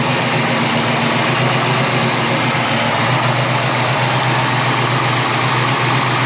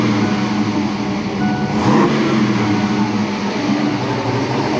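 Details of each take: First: 1988 Saleen Foxbody Mustang V8, fresh motor with Trick Flow 170 heads, Kenne Bell supercharger, Megasquirt ECU: loud idle with uneven stumbling beat; misfire, pyrometer showed cylinders 5 and 6 running cooler; plug wire suspected, later traced to the Megasquirt setup. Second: 1988 Saleen Foxbody Mustang, fresh supercharged (Kenne Bell Flowzilla) V8 with Trick Flow 170s and Megasquirt, after the misfire fix. A quick throttle blip picks up cleanly and settles back with no stutter; normal free revving.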